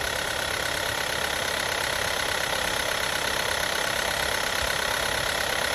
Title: Motorgeräusche Golf 6 1.4 TSI 122 PS 2012